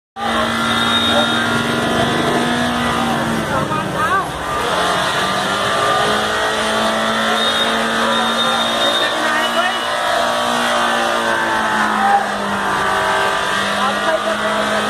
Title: Engine Runaway occurs in Swift Dezire Car || Turbo Failure #carryminati #cartips